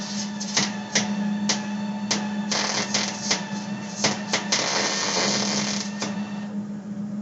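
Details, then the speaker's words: MIG welder filling a sheet-metal plug weld through a 1/4 inch punched hole: uneven crackle broken by sharp pops over a steady hum as the arc stutters; wire speed is set too low and the wire is burning back into the tip. "As you can hear that welder there, it was actually struggling a little bit. That to me means that our weld speed, our wire speed is too low. It was trying to burn back into the tip."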